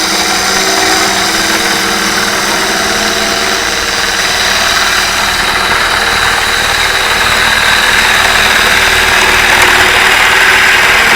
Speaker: do you hear that chatter at the very end what was happening there as I was I was overextended too far on the tool rest so I didn't have as much support over here with the tool wrists and it was getting a little bit of vibration going on there